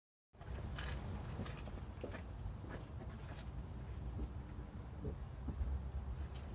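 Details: Starter churns steadily at a low pitch for several seconds, but the engine never fires or catches. Crank, no start.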